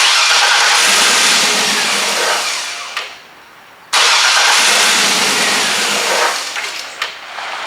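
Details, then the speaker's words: 1966 Chevelle with LS2 conversion and 6-speed, fuel pump heard priming: two long steady starter cranks of about three seconds each, engine turns freely but never fires; fuel injectors suspected, unconfirmed. Crank no-start. "I hear the gas pump there it goes let's see what happens [Music] not gonna work not gonna run"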